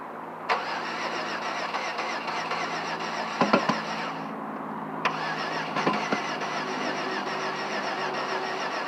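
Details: 2005 Chevrolet Venture: the starter keeps spinning the engine in a steady churn with no firing or rise to idle; it cranks but will not start.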